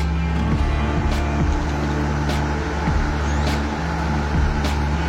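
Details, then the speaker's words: Sanex 18-inch stand fan after its dead motor was replaced, tested at speed 1 then speed 2 with oscillation gearbox engaged: strong, steady low hum with a faint periodic click from the gearbox; motor runs smoothly. "Tuh, tenaganya kuat sobat. Ini baru speed 1 ya, speed 2. Waduh, lebih kenceng lagi sobat."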